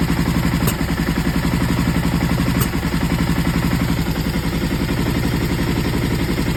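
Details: Aprilia ETV1000 Caponord V-twin idles with an uneven, stumbling beat. The misfire was traced to the front cam being one tooth off timing.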